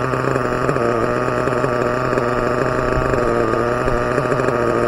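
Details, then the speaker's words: Team Associated MGT nitro RC truck: steady high-pitched buzz that holds revs and never drops to idle; engine stuck at high throttle. Owner suspects a too-tight back plate on the one-way bearing stops the pull-start shaft retracting. "the back plate where this oneway bearing goes into it is so tight that the shaft is just it's just not it's not retracting it's not letting the pull star the string rest retract back again so that's why it gets stuck what all right let's uh back off the throttle come on man"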